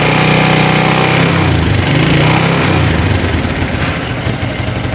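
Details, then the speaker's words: Motorcycle with kickstarter removed, started on the electric starter after its drained 12-volt battery was charged for about a minute by turning the rear wheel in 4th gear on the centre stand; nearly stalled, then quick, even fast idle, running normally. "Sudah bisa starter walaupun tadi agak mau mati gitu ya. Tapi ini sudah kuat starter."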